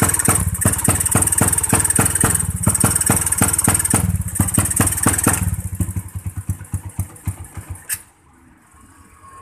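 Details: New Tech motorcycle with abnormal ignition, first throttle won't rev: rough, uneven stuttering firing that fades and dies; ignition suspected, to check pulser, CDI and coil.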